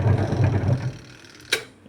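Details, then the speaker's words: Top-load washing machine after the timer repair, running: low rhythmic churning hum that stops, then a single click from the timer advancing. The washer now runs normally. "చూడండి, sound కూడా అలాగే మనకి ఇంత 50 second కూడా అలా వస్తుంది అన్నమాట. మనకి సౌండ్ కూడా వస్తుంటుంది ఇలా తిరిగినట్టు కూడా అలాగా."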